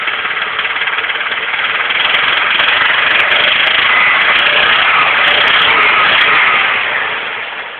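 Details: Nissan SR20DE engine revved and held, with a quick fairly steady knock about three or four per second starting around 2000 rpm, stopping and restarting with each rev; cause not yet known: engine knocking when revving.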